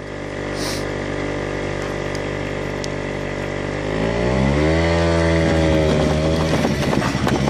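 Engine note holds steady, then revs climb sharply without a matching gain in pull, which suggests the clutch may be slipping.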